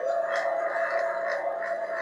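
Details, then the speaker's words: Home-made refrigerant recovery machine for a 1234YF AC system on a 2018 Mustang. Its vacuum pump is switched on to pull down the pump system before the tank, with a steady, even mid-pitched drone and a light pulsing edge. Tone changes as vacuum builds. Normal. "i can feel airflow coming out of it so i know it's pulling something out i can sense again i can hear the change in tone of this thing"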